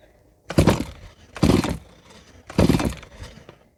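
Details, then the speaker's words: Stihl MS170 chainsaw, made March 2008, never serviced, after cleaning a clogged spark arrestor screen: three firm pull-over strokes with strong whoosh and even resistance during a compression check; healthy cylinder, good compression. "I don't think compression will be an issue, but let's check it out anyway."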